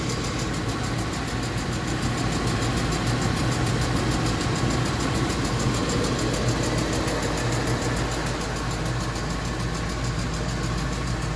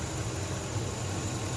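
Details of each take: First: Ford F250 5.4 Triton V8 idling with a quick, regular metallic tick that just started, loudest from inside the passenger-side fender; roller follower or lifter suspected, found to be a loose spark plug blowing by. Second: Ford F250 5.4 Triton V8 idling after repair of a bad tick from the passenger-side fender (suspected roller follower/lifter); new plugs and passenger-side lifters fitted; steady low rumble, no ticking or knocking, runs smooth.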